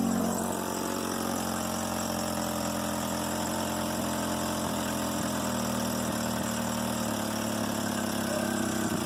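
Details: Petrol engine with compression 155–160 and good plugs idles unevenly, note sagging and wavering, near stalling at stops; exhaust leak found, rough idle traced to a vacuum leak from a holed PCV hose.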